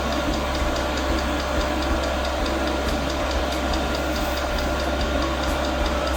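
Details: Newly mounted portable all-in-one diesel air heater, first start at maximum power, about 40 seconds in: sharp regular pump ticks, roughly three per second, over a steady fan hum, with no burner roar building. The first ignition fails, followed by a shutdown cycle.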